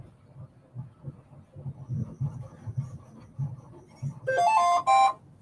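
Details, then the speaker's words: Bambu Lab A1 Mini 3D printer powering on: quiet room murmur, then a short rising run of clear electronic tones ending in a held beep; normal startup chime. "Yep. That's a startup sound. >> I didn't know the printer had a startup sound. >> It does, actually."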